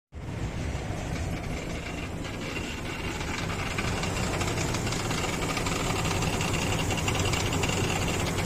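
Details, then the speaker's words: Infiniti QX56 idling with frightening knock under the hood, power steering pump replaced with a used unit but noise remained: fast metallic tapping near three per second at the front of the engine; worn belt tensioner. "Так ну что звук Вы слышали были разные подозрения слушали и головы прикидывая Вот сюда и с той стороны затем всё-таки звук был откуда-то с этой стороны"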